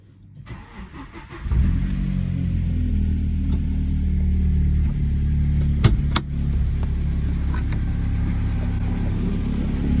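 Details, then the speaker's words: 2008 Vauxhall/Opel Astra VXR, Z20LEH engine, first start after timing belt, water pump, tensioner and idler replacement. Brief crank, fires straight away and settles into a smooth, steady idle with no knocks or rattles; sounds healthy. "You can see that struck straight up there, everything sounded nice. All you're looking to do is just strike it up, just make sure it sounds okay."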